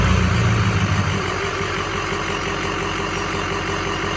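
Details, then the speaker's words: 2007 Ford F-250 6.0 Power Stroke diesel, fully built rebuilt engine with tuner, 268,000 miles: steady, even idle with crisp regular injector ticking over a low rumble; sounds healthy. "yeah so that's the that's the injectors kicking on"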